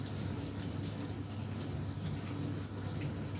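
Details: Old Indesit dishwasher with an error, test run: steady rushing hiss of water into the tub over a low hum, even and unbroken; filling normally.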